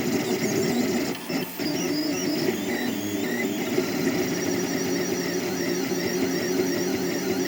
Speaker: avant c'était un son aigu un son strident un style mais maintenant c'est un son sourd qui est pas du tout dérangeant